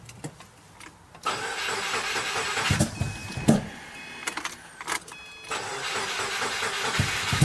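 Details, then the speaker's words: Subaru WRX after a JDM engine swap, with an Accessport base tune not made for this engine: short, sluggish starter bursts that never catch; starter or battery weak; still no start on another jump pack, and the owner suspects cheap injectors. "No, the starter's dying, or the battery's dying. Yeah, we need more power."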